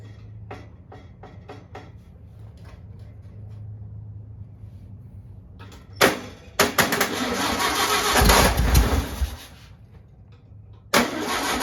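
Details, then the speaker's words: 1959 VW original 36hp engine, first start after rebuild on a weak jump box: scattered weak clicks and sluggish cranking, then a few seconds of rough ragged firing that dies away; slow cranking, barely fires, needs recharge. "well looks like we're gonna um recharge a little bit more and come back and try it again but we did hear it run so kind of exciting"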